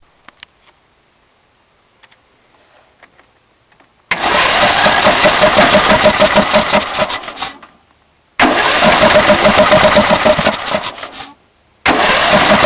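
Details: Intek 18.5 HP engine on DYT4000 riding mower; runs one minute in the morning on starting fluid, then cranks steadily in long bursts but won't fire, only backfiring through the carburetor.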